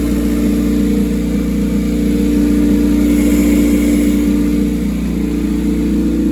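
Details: Rear-engine Honda CRX with a custom turbo kit, restarted after the build: steady, even idle with a smooth low drone and no knocks, misses or rattles; running cleanly.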